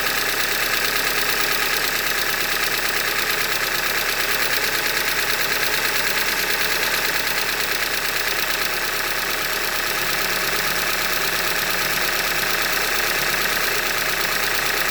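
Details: 2015 Hyundai Elantra Limited at 91,000 km, idling: rapid, steady ticking knock about three per second from a short block failure, described as a Hyundai manufacturing defect.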